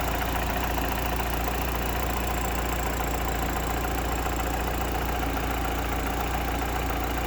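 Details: Mitsubishi Evo 8 idling: a light, quick tick runs through the steady engine note from a dead hydraulic lifter.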